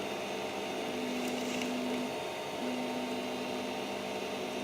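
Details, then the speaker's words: Creality CR-10S 3D printer after fitting steel-and-rubber NEMA 17 stepper motor vibration dampers, Y axis moving: a soft, steady motor hum with a faint tone on each move and very little vibration or rattle. Barely audible compared with before, normal stepper motion. "the thing doesn't make any it barely makes any noise compared to the previous clip which I will edit right in there now"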